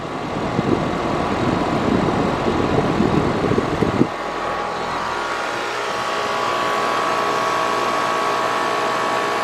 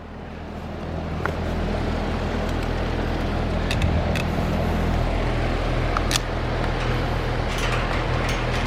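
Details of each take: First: Carrier AC condenser that was not running, tech expected a bad capacitor, rewired with hard-start to the contactor: a rough rustle fades into a steady, even hum with a faint high tone; temperature reading of 89, expected to reach 109; normal running. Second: Carrier AC condenser unit, outdoor, indoor blower running, only 1 degree split at the coil: steady low electrical hum that never ramps into a running compressor, with street traffic behind; compressor not starting, bad capacitor.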